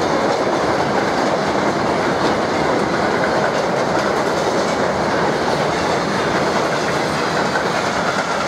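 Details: Passing EZ freight train: loud steady rolling clatter with rough repeated wheel thumps from many flat spots on the wheels.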